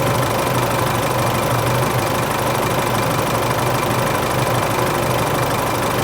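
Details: Isuzu Euro 4 diesel at idle on its first start after replacing the A/C compressor and alternator belt tensioner pulleys and both belts, which had squealed slack on the first start of the day; even diesel clatter, no belt squeal or chirp.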